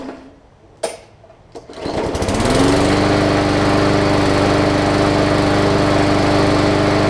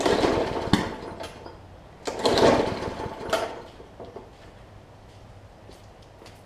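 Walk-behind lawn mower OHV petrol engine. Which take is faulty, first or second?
second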